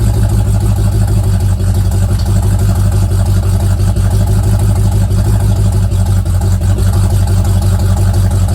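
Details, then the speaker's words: Old Mustang project car, recently revived after 42 years, idling after a cold start: a deep, even V8 burble with a regular lope and no knocks or misfires, sounding healthy. "so that sounds pretty good sounds good for how cheap that was"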